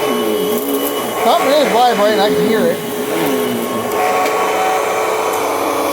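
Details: 2004 Panasonic upright vacuum: steady, even motor whine with no rattle or pitch wobble under loud background music; running fine.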